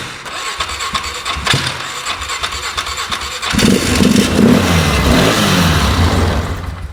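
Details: 2008 Polaris Ranger 500 UTV on a rigged-up, shot battery; owner hopes running it hard will clear it out, cause unconfirmed. Uneven, lumpy idle with a loping beat about three per second that surges louder, barely staying lit. Rough idle.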